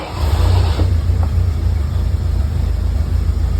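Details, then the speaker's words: 1955 Jeep M38A1 that wasn't running, after repairing its 24V waterproof distributor and setting the points: a deep, steady engine rumble that picks up smoothly on the throttle without misses; it now runs healthy. "man that is a beautiful sound on a 1955 m38a1"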